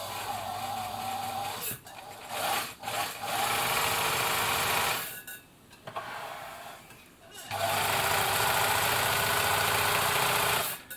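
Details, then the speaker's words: 1965 Bernina Record 730 sewing machine after drive belt tension adjustment: short bursts of steady, even whirring that start and stop with the foot pedal, with no slipping or straining: normal running. "that's driving nicely there"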